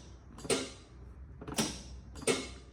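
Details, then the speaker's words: Craftsman zero-turn mower no-start troubleshooting: pulling the PTO switch gives three crisp, separate clicks, checking seat switch and PTO clutch. Normal PTO clutch engagement. "That's doing two things. It's checking your seat switch and your PTO clutch."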